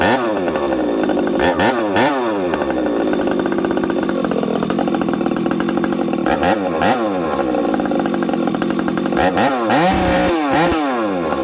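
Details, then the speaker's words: Husqvarna 371XP two-stroke chainsaw on the bench after yet another carb swap, no fuel in the carb at start: revs unevenly, high scream breaking up and stumbling at wide open throttle; misfiring and running worse than before, spark plug changed, flywheel suspected. "It runs even worse now. What do you guys think? I need your guys' help. You hear that? It's missing."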